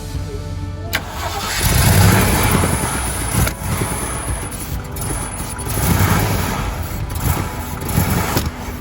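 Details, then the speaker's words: Jeep CJ5 V8 that hadn't run in 25 years: cranking gives way to ragged, uneven bursts of firing that rise and sag, running only on starting fluid since the carb isn't feeding fuel, confirming the motor runs. "Okay, I think we can confirm this motor runs. I agree. It started to go."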